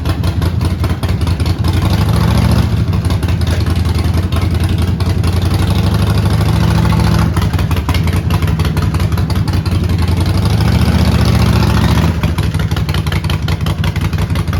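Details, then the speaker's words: Neglected 2008 Harley-Davidson Sportster, long sitting, fired up to test whether the transmission moves the bike: lumpy loping V-twin idle revving cleanly and settling back, even firing; motor works and it moves in first gear, only slight black smoke. "Well, that is all outstanding news. Motor works. Transmission. Well, at least it moves in first gear."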